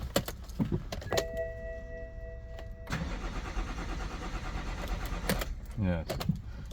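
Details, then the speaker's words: BMW E61 diesel after two months standing and a new battery: chimes and clicks, then a short steady crank that never catches; fault 4A63 EWS tampering, with the immobilizer blocking start, fixed via the DME-CAS adjustment. "Now I have changed new battery, but car is not starting."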